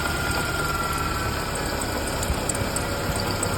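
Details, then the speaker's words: 1993 Ford Ranger 2.3 L, cold idle: thin steady high-pitched squeal from the belt area over the engine; worn tensioner idler pulley bearing, pulley replaced. "podemos ver que se oye como un chillido lo está haciendo frío en los culeros en la banda y será el problema de esto"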